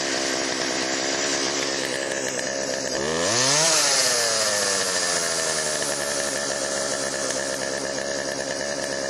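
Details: Chainsaw after Texas ice storm, refueled, priming squirt into cylinder via spark plug hole: steady high buzz with one quick rev blip, clean and even; could be fine-tuned but ready to go.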